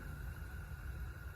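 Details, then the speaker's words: Renault Zoe drive motor from a car with 71,000 on it, spun on the bench after a bearing rebuild: quiet, steady high-pitched hum with no grinding or rumble; normal electric motor running. "you can just hear the bearing but kind of a normal yeah normal noise there so that sounds really good yeah I mean it's making no noise at all which is perfect"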